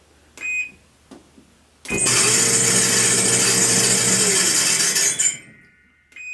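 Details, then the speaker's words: Whirlpool Cabrio Platinum dryer: control-panel beep, then a loud harsh screech as the drum runs, from a worn idler pulley whose internal bearing is suspected; the pulley is to be replaced. "So we're gonna replace this part. This is the part that's messed up. I think it's the bearing inside of it that's messed up."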